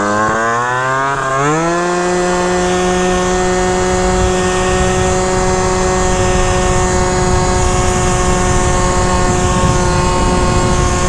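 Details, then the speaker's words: Malaguti Phantom F12 scooter with 70cc Stage6 MK2 kit and Yasuni C16 pipe, being tuned with carb issues: revs shoot straight to about 10k then, as the variator pulley opens, drop and plateau, never exceeding about 11k; flare then limited top rpm, cause unconfirmed. "like it almost sounds like it revs too much right off the beginning like it like to me it sounds like it over revs right there red straight to 10k but then when you're on it and the pulley opens up it drops and it never goes above like 11k"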